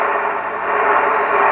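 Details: Yaesu FTDX-560 receiver on 40 meters with antenna connected: steady, even rush of band noise across the mid tones, strong and clean; the receiver is hearing the band properly, with pre-select peaked for maximum noise.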